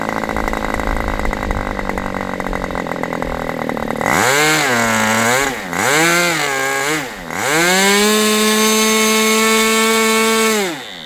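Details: Aviastar 46 ABC glow engine after low-speed needle adjustment, low speed now decent: it buzzes, then revs and sags twice before settling into a high steady howl, hesitating on pickup. Owner says it is not rich, seems lean; unconfirmed.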